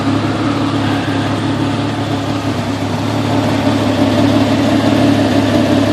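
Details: Jeep XJ 4.0 ('98 motor), coil refitted with custom straps: idle lopes unevenly, stumbling about three times a second and never smoothing out. Persistent idle misfire, cause unknown.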